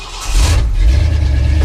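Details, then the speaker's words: Old Ford, sub-zero cold start after a month or more unused, choke set: brief catch then a steady even low idle, no misses or knocks; normal idle. "it'll sit here and run all day now pretty as you please well very uneventful"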